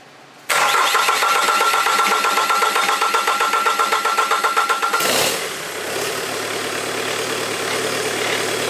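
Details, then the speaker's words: Bobcat Kubota diesel after a high-pressure fuel pump repair, fuel primed and a filter added, started by shorting the starter wire: a brief crank, then it catches at once and settles into a steady, even clatter; a clean start. "let me crank it one more time i just like the way it starts"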